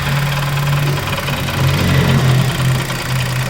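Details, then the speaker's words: Chevrolet Onix Plus LT manual, engine cold (18°C, ambient 17°C) after two days parked, idling: low rough pulsing knock about four a second appears as the brake pedal is pressed, not audible inside the car; cause unknown. "ele pisa no pedal do freio para mim aí ó é realmente faz um barulho"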